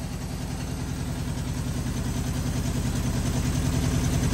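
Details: 1973 Honda CB750 four-cylinder, first start after sitting 15 years; previous owner parked it unable to start, cause turned out to be a worn kill switch. Strong, even beat slowly building in loudness, no knocks or misses; normal running.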